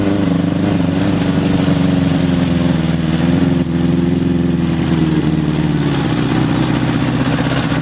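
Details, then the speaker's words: 1981 Honda CB750 K1 on a test ride, often ridden with choke on: engine bogs, stutters and hesitates under throttle, barely rideable; a vacuum leak is suspected, and the carbs are probably out of sync. "all right just things barely unrideable half that time I was riding with the choke on and it's bog and it's stuttering it's just not running right so I'm guessing there's some vacuum leaks and probably carbs are out of sync"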